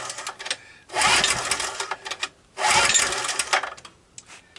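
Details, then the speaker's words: Abandoned, nearly new 2 kW generator, cold start with choke on and some gas added: two quick recoil pulls, short rattling spins that never catch; no-start, possibly not drawing fuel, before starting fluid. "well I'm good for about three pulls I think it's time for starting fluid"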